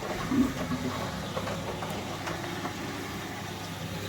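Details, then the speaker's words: Indesit 9 kg, 1400-spin washing machine with top and back covers off: the drain pump gurgles and slurps over its hum when short of water. It does not act on suction and needs water behind it to push out, so this is normal. "It's the noise the pump makes when it's not got enough water to pump through. Because it doesn't act on the suction, it just needs water behind it to push the water out."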